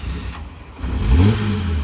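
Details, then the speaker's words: 2000 Jeep Grand Cherokee, salvage title, with the intake full of Seafoam: it cranks a long time, then catches with a rough rumble and the revs climb quickly and hold. Hard starting. "Sometimes she's a little rough cranking after the intake and all that is full of seafoam. So sometimes it takes a little bit."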